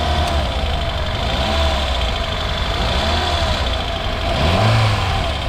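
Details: 2010 Kia New Morning, 30,000 km, no fault codes, idling steadily with hood open; small petrol engine gives an even hum with no knocks or rattles: normal idle.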